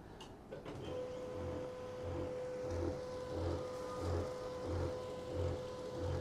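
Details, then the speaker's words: Canon 2900 laser printer after long use: steady whine with a low pulsing "gru gru" grind about 1.5 times a second from a worn drive gear. "of the machine running gru gru gru, the sound is very annoying."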